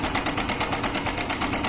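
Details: Yamaha Crux motorcycle idling with fast, even metallic clatter about ten a second: timing chain rattle, chain tensioner (adjuster) spring found broken.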